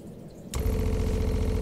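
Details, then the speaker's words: Motorhome pressure water pump after installing an unpowered pressure equalization tank: with the water turned on, the pump kicks in with a fast, even buzzing pulse and runs normally. "now the pump starts and you can hear it running here water is running"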